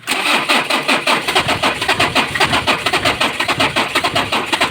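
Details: Mitsubishi L300 4D56 diesel engine hard starting every time: long loud cranking with uneven pulses a bit under two per second and no clean pickup; owner asks what to replace, fuel filter/fuel suspected, not confirmed.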